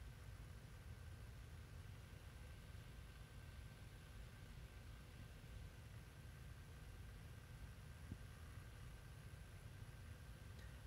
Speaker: this has bad fan bearings in it and you'll hear that in a second I wanted to make sure this computer worked before I go trying to upgrade it yeah those are those fan bearings